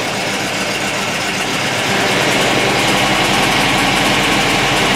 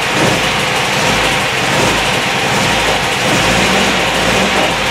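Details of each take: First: MGB Mark IV roadster (1965-1980) started after replacing the failed fuel pump with a new SU pump; engine runs steady and even, then shuts off cleanly; pump quickly builds pressure within spec, engine takes it well, no leaks. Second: MGB Mark IV roadster (1965-1980) in neutral, choke out, fuel lines to be disconnected for fuel pump removal; engine unexpectedly starts and runs slightly uneven and raspy on residual fuel drawn from the line into the carburettor.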